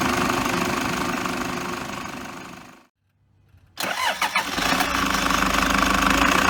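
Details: Diesel 2008 Toyota Hiace Super GL van (KDH201V) at 137,735 km idles, briefly cuts out and restarts, with a gritty whirring over the idle from the fan belt idler pulley; belt idler pulley noise.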